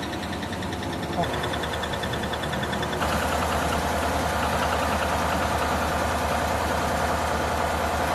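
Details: GMC V8 idling with a quick, steady ticking over the engine note; these engines are notorious for failed lifters tapping in the valvetrain, fixed by teardown with new camshaft and lifters.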